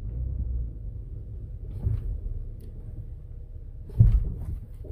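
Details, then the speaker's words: 2014 Ford Explorer Interceptor 3.7L 4WD under hard braking: two dull, heavy thumps about two seconds apart over a low rumble as the lower control arm slams its front and rear mounts; lower control arms are shot and need replacement. "The lower control arms are shot in this thing. Yeah, they're shot. Boom, boom, front and back. So it needs new lower control arms."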